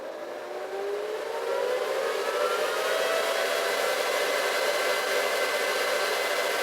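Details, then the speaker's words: Antminer finishing boot, power climbing from about 400 W toward 1400 W: fan whine climbs smoothly in pitch over two seconds, then holds a steady rushing roar; normal cooling fans spooling up. "now hear the sound stronger still a little bit no much we can see still in red so when it's red is not doing anything now it's just fooling cooling off the device"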